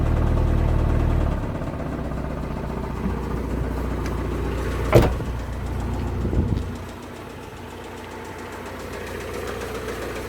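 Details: Vauxhall Vivaro M9R engine: deep, steady knock at idle, about four a second, from the bottom end; crankshaft bearing shells were found spinning on the crank from lack of oil feed after the oil pump failed. Bottom end later replaced.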